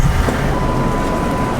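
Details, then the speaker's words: Regular cab manual truck, 172,000 miles: cranked on first try and settles into a steady, even low idle with no misses or knocks; healthy. "It cranked right up on the first try. I like that."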